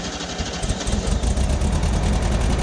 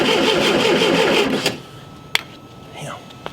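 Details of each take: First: Vintage VW Super Beetle first start with original distributor, cleaned points, original coil and new condenser; engine catches and settles to a firm even low rumble with no stumble; the bad condenser was the cause, ignition switch still faulty. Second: Unmolested VW Super Beetle, original distributor refitted, evening in the cold: steady starter cranking about three turns a second that never fires; no spark because the condenser wasn't hooked up.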